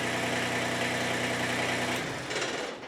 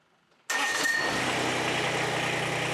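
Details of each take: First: Kubota BX25 small diesel tractor, warm, after replacing faulty fuel shutoff solenoid, started without touching throttle: runs steady and even a couple of seconds, no miss, then shut off; no longer hard starting or extended cranking; normal idle. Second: Kubota BX25 small diesel tractor, warm, glow plugs used: with throttle advanced past a click, faulty fuel shutoff solenoid lets fuel through and engine catches at once, settling into steady even run; fuel shutoff solenoid fault.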